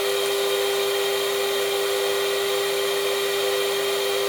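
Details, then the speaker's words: Bench test of new VFD spindle for Genmitsu ProverXL 4030 desktop CNC, free running at controller-reported 24,000 rpm: clean steady high whine over light hiss, no rumble or rattle; spins freely and healthy. "the dial on the side of the uh CNC controller allows me to turn up the speed to test the full capability so now it says it's outputting 24,000"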